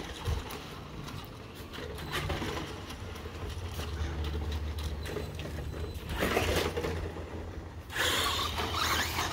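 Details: ECX Torment RC truck test run after metal transmission gears were installed: low electric motor hum and gear whir rising and falling with throttle, some handling clatter; drivetrain runs smoothly and sounds healthy.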